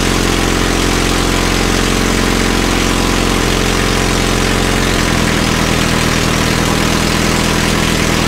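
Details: Caterpillar D2 crawler idling after first start following pinion repairs and rebuilt carburetor in starting system refurb: steady, even idle with firm low throb, no knocks or misses; healthy.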